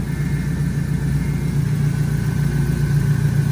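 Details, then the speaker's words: 240,000 km LS2 V8 idling after switching from 5W-30 to 10W-50 oil: deep, uneven puffing from small exhaust leaks, with a faint thin whine from a worn pulley, already replaced twice. "so I mean other than those tiny exhaust leaks which is all you can hear you can't really hear anything you can need that pulley a little bit which sucks"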